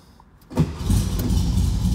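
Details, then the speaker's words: Restored 1964 Volkswagen Beetle, converted to 12 volt, dual exhaust: short crank then it catches at once and settles into a steady low air-cooled rumble with no stumbling; strong, healthy start. "Fires right up. I'll let you hear it. Nice tone from the dual exhaust. Hopefully you can hear how strong that motor is."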